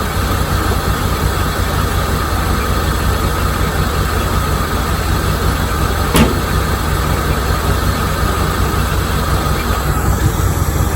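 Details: 1987 C4 Corvette TPI V8 running after a mass airflow sensor was plugged in, slight vacuum leak in the runners noted: steady, even low idle with a smooth rumble, no knocks or misses.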